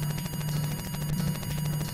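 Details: FujiNet on Atari with Multilator and Modem850 firmware loading BBS Express over network: buzzy warbling tones pulse quickly and steadily over low hum, normal serial bus data loading.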